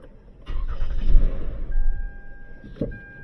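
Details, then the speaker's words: 2007 Lexus ES 350 with battery-not-charging complaint, 12.29 V at ground checks: short starter whirr catches quickly and settles to a quiet idle with door chime; starts normally, battery drain found rather than alternator. "So, the vehicle does start up, but we're going to be doing our voltage drop test."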